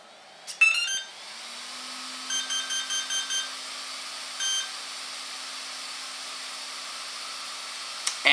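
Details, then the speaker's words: HobbyWing brushless ESC with an AR7200BX Beast X system, powered up with the throttle stick at full: startup tones play but no beep-beep follows. The Beast X initialization delay stops the ESC from entering throttle calibration. "never entered in we didn't hear the beep beep so what would happen at this point is my my ESC didn't even enter into calibration"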